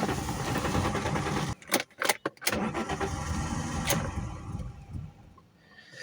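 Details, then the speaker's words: Alfa Romeo 164 2.0 V6 Turbo Busso, parked for two years, possibly old gasoline: long cranking that stutters through a few broken bursts, then an uneven run; hard start, suspected faulty knock sensors, not confirmed. "I hope this solves the problem because having here a a difficult start a very long crank I believe it is this problem"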